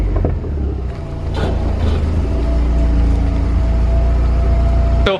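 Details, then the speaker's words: Mazdaspeed 6 idling after the fix, with air-fuel now steady near 14.7 instead of swinging lean and rich; deep, even idle, steady beat, no misses or hunting, no rich smell; normal idle. "good sounds good doesn't even smell rich"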